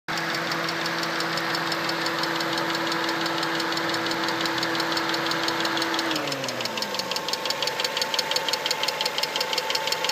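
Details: 1992 Mazda 626 GLX, 2.0L 4-cylinder 16-valve petrol engine at or slightly above operating temperature, idling with a steady, sharp ticking about three per second whose rate rises with RPM; cause not identified.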